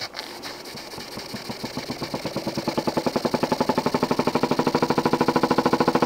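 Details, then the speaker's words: Jensen 20G engine, bought used, with a homemade rubber or silicone cylinder seal; heavy bump on every stroke, speeding up to about three a second, from a seal fragment loose in the cylinder. Fixed by remaking the seals properly. "I opened the cylinder and I found that this little piece here was became loose from this end of the cylinder, and this was making that noise, awful noise."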